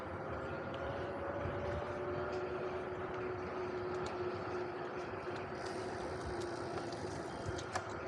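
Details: VanMoof S5 e-bike hub motor recorded while riding on Amsterdam streets: a faint, smooth whine that drifts slightly in pitch over street noise; normal hub motor sound.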